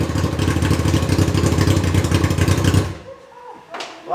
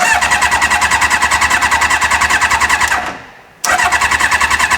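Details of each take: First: Reliant with a swapped Kawasaki motorbike engine, fuel gravity-fed to the pump from a temporary tank: fast, even beat holding steady for nearly three seconds before shutting off cleanly; running fine, proper fuel tank still needed. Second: Reliant with motorbike engine swap, fuel line pulled off the carb to test delivery: starter churns steadily twice for about three seconds with no firing; crank no start, pump not pulling fuel through, no fuel delivery.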